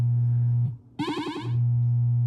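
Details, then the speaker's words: 1978 Williams Phoenix pinball sound board during solenoid/sound test 10: steady tone cuts out, returns in choppy bursts then steadies as the pot is turned; intermittent output from dirty volume pot despite contact cleaner. "yeah you can hear those little bits of sound coming through it has to be the pot so I'm going to go ahead and take a look at the pot even though I sprayed it with contact cl"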